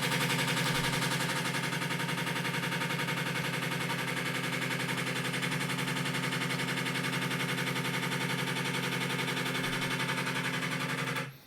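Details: Washing machine vibrating heavily, a workshop case with the lid removed: fast, fairly regular hammering at nearly four knocks a second through the spin, then stopping.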